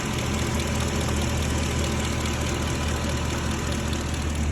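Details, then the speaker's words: 2006 Ford F-350 with used 5.4L 3V V8 just installed, first start: deep, fairly steady idle, no tick heard from the exhaust, no knocking; normal idle. "I don't even hear a tick out of the exhaust."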